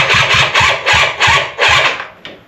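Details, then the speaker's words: Polaris quad, possibly a 250, charged battery with working horn: starter cranks in five or six bursts, engine never catches, crank no-start; owner removes airbox next to help it start. "can help it out a little bit because um it ain't starting itself."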